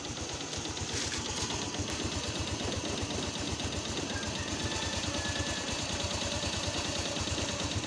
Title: maingay na makina ng motor. piston slap lang yan watch before and after video